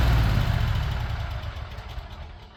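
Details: Craftsman Z6400 zero-turn mower after replacing the damaged hydro drive belt, revved up with blades on: steady low engine rumble fading smoothly, no knocks or slipping squeal; normal running on new belt.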